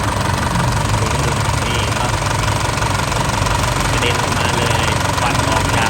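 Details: Isuzu 4JK1 diesel engine with stuck, failed piston rings, before rebuild: loud, harsh clatter with a heavy, uneven knock about three per second, engine knock from stuck piston rings.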